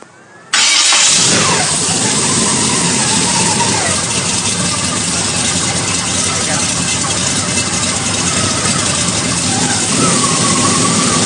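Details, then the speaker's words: Rotary valve V8 engine starting up: it catches half a second in and settles into a steady, even idle with a busy mechanical clatter on top. The owner says the clatter comes from the recording, and the motor is actually smooth and quiet. "Unfortunately, on the video, the motor sounds like a bucket of bolts, but I can assure you it's a very smooth and quiet running motor."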